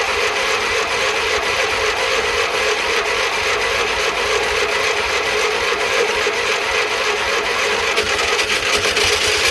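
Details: Classic Fiat 500 small air-cooled engine after electrical repairs, run briefly from a jerry can: a steady, even buzzy run with no knocks or misses. Oil and generator lights go out, showing oil pressure and charging. Running normally.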